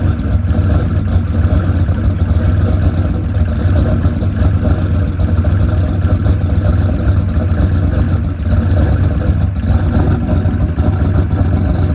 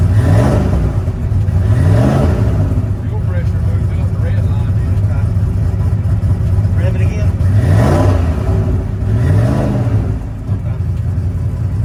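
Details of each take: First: Ford Coyote V8 with 107mm turbo and lock-up converter, injector setting changed to 850s at 9 psi fuel: loud deep uneven idle with irregular pops; running lean, causing lean popping. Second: Ford Coyote V8 with 107mm turbo revs cleanly in quick blips with no stumble or misfire, after swapping injectors and correcting base fuel pressure; it had been lean popping because the system assumed 90 psi; normal revving.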